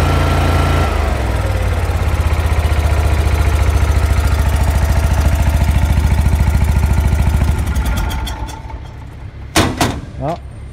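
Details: Lincoln Electric Ranger 250 gas engine-driven welder, after all-new fuel lines (pump inlet, pump-to-carburetor outlet, crankcase line to pump) for a no-start: engine catches right away, settles into an even, steady beat with no stumble or misfire, shuts down cleanly; runs healthy.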